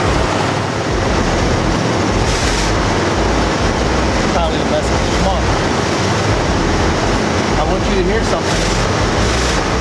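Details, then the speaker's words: 1991 Jeep Grand Wagoneer V8 first start in several years after a new starter was fitted: loud, rough-edged steady roar with some clatter; it keeps running until it shuts off, possibly out of gas. "it may have just easier it turned itself off or it ran out of gas but it ended all right well it runs"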